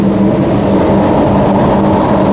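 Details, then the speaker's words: Newly fitted Webasto Thermo Pro 90 diesel coolant heater, replacing a failed Eberspächer on a Demag AC220 mobile crane, warming up at about 70–76°C (cuts out just over 80°C). It gives a steady, even roar with a low hum, no knocks or surging: normal running. "Roaring away. It doesn't take long to get hot."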